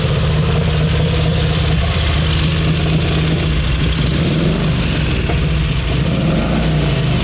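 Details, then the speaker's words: Crocker V-twin motorcycle just after choked cold start: deep loping beat, steady even rhythm, slightly raspy exhaust; healthy cold idle with no knocks or misfires. "Rare opportunity to hear a Crocker motorcycle crank up and go. Right off the bat, you guys are going to hear this thing rumble."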